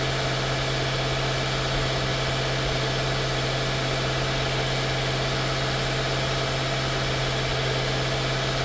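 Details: 2016 Mercedes-Benz S550 W222 V8 after ignition coil and spark plug service: smooth idle holding one steady note, no stumble, tapping or rattle; normal idle.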